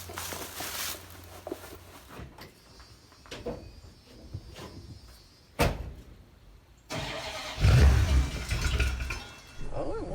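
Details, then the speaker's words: Dodge Ram 250 van that sat for years, restarted: uneven cranking with ragged firing bursts that never settle into an idle. It runs poorly and not on its own. Owner suspects it isn't getting fuel, or the fuel is bad. "Oh, it wants to go. Well, it runs. It doesn't run great and it doesn't run on its own."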